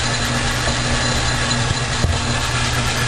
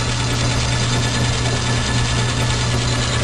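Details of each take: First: Logan lathe after making and fitting new brass gear-change idler bushing: steady low even hum, no knocks, grinding or whine; gearing running quietly, repair somewhat of a success. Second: Logan lathe on high speed after new idler bushing: steady hum with a faint repeating chunk about twice a second; owner suspects the big pulley is out of balance, unsure.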